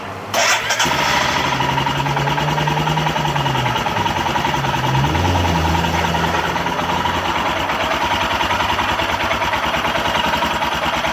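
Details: Royal Enfield Himalayan after replacing relays with Bosch units, fuel pump heard priming: catches after a brief crank, settles into steady even single-cylinder idle with no misses; normal start and idle.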